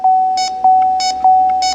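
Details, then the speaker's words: R1234YF car flammability check with leak detector during CPS AC FX3030 recover/recharge: steady high beep about every 0.6 seconds, even pitch and rate, normal beep; a leak would sound different and light the bars further. "The beeping is just a normal beep. If it found refrigerant, it would go boop, make a noise, and the lights would light up a lot further."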